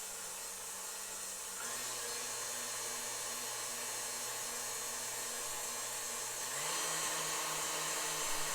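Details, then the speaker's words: Vintage KitchenAid 3B tilt-head stand mixer after cleaning and all-new grease, run through its speeds: smooth even motor hum with steady gear whine stepping up cleanly at each speed, no grinding or knocking; healthy. "These actually have a nice sound to them. I believe that they were built better than the current models."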